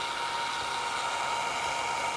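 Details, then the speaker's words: Longer Ray5 20W laser module cooling fan fitted with a custom printed duct for an air filter: steady high whir, more muted than before, with a faint buzzy rattle because the fan is not bolted down. "there's a rattle is because the Fan's not bolted down kind of have to ignore the rattle"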